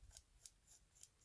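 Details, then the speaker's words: PlayStation 1 disc drive: disc not spinning fast enough, faint sharp scraping swishes about three to four a second over quiet hum; something seems to scrape when it goes to home position, suspected jam. "it's like jammed in something yeah now it spins fine it seems like this thing when it goes in the home scraping up against it"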